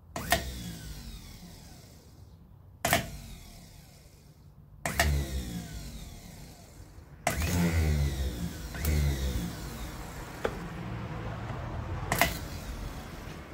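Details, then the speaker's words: 1968 Datsun 1000 shed find, starter motor removed and bench-tested by shorting from terminal to terminal while held still. A sharp clack on each burst, then a whirring spin winding up and down, as the solenoid throws the gear out. Normal starter engagement. "the solenoid pushes an arm and it throws that gear out towards the ring gear it engages with the ring gear and winds the motor over"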